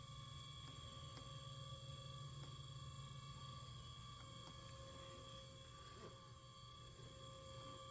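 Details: 2019 Honda CR-V AWD Touring giving a low steady hum with a thin constant whine and faint clicks; it starts on unlocking or opening the driver's door in cool or cold weather, cause unknown.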